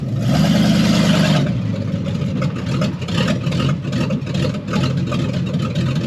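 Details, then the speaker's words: Under way on the first drive after the transmission was dropped, the V8 in the truck "Stumpy" has an uneven, choppy lope of about two pulses a second riding the drone, a lopey cammed note; its driver-side rear brake locks up. "Oh, it sounds like it got a cam now."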